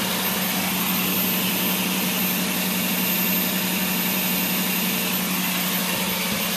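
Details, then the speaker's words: Toyota Tundra V8 just after a timing belt replacement: an even, steady idle with a smooth hum and no knocks, misses or ticking, running as it should. "That's it, folks. Timing belt in, motor's running perfect, good for another 100,000 miles."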